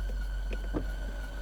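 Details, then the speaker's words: New Land Rover Defender after deep water wading: a thin, steady high squeal over engine rumble, caused by water on a pulley belt making it slip; it stopped once the belt dried off. "that screen noise was because there's water on a pulley belt but it's dried off and now and gone away"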